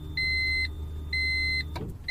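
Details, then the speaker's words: Key turned to Run, one click before start: low steady hum from fuel pump near rear-seat fuel tank, relay clicking, then cuts off, with dash chimes; pump spinning and pressurizing fuel system, working normally. "that hum means that the fuel pump is working it's spinning it's pressurizing the fuel system"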